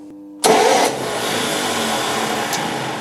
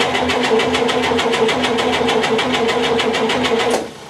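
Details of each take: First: 1958 GMC Apache pickup, compression test on cylinder 5: sharp rough crunch as the starter engages, then steady cranking; owner thinks a new flywheel or flex plate is needed. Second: 1958 GMC Apache pickup, left outside 3+ years, compression test cranking: even beats about three per second; cylinder 3 reads a good 140 psi, compression healthy and consistent.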